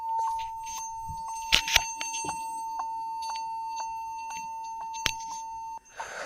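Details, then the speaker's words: Lenovo B460E laptop at power-on: steady continuous high beep for several seconds while Windows loads; owner suspects a faulty or improperly seated keyboard, possibly after water exposure, and checks it. "So it's starting. Yeah, it's while starting the window, it's continues the beeping sound."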